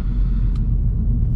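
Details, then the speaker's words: Audi RS4 B7 V8 with stock exhaust, recorded from inside the car under acceleration: deep, steady low rumble, no knocks or rattles, revving freely; engine runs well, normal. "Et en plus la sonorité est vraiment sympathique, sachant que là je suis d'origine et que ça fait pas beaucoup de bruit, mais ça chante bien quand même."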